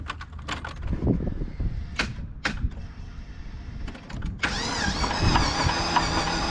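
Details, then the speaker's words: Texas Speed 5.3 V8 that overheated and seized: uneven clunking knocks while cranking, then a rough start, from a damaged bottom end that needs replacing. "it overheated seized itself and now when we turn it over it's knocking pretty well"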